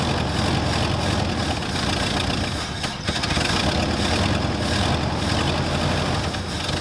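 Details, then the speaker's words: 1974 Ford Galaxie 500 that sat two decades, after a new rotor restored spark: long cranking catching only in short ragged bursts, never steady; fuel starvation, running only off the accelerator pump squirts. "still does run he's only ran off the accelerator pump but it did Rudd actually squirting fuel now that's all I can get"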